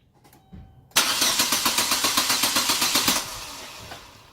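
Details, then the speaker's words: Chevrolet Aveo after junkyard ignition module swap, harnesses refitted and new spark plug wires: even starter chug about four strokes a second for two seconds, then winds down with no firing; cranks but won't start. "more time one more time nothing"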